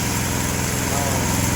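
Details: 212cc Predator engine newly fitted to a homemade log splitter, replacing a 5hp Tecumseh, at low throttle: low, even putter with a steady beat and no misses or knocks; small single-cylinder idling smoothly.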